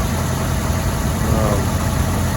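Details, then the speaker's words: 2002 Mazda Protege 5 idling smoothly after a temporary epoxy repair of an arcing ignition part; before it ran rough and shook, now steady even rumble with no spark snapping; new coils may follow; normal idle. "so seems like to me everything's running good though"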